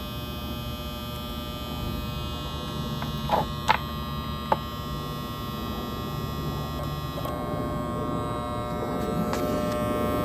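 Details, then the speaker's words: New multifilar three-phase transformer, unloaded preliminary test: low steady mains hum with faint clicks; output rises from 24.5 to 30.2 V with a 4 µF capacitor across the AC secondary, and the tone changes with a 2 µF. Normal unloaded hum. "Hear the sound of the tone changes? Look, it goes up to 30.2 volts with a 4 UF. Let's try a 2. Completely different tone."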